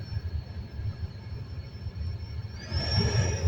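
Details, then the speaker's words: Kia Rio/Hyundai Solaris cabin heater blower: a steady high whistle over the fan rush that climbs in pitch with blower speed, coming from the cabin filter area behind the glovebox. "многие наверное сталкиваются с такой этой проблемой свист салонной печки Ну фильтра вот на двоечку"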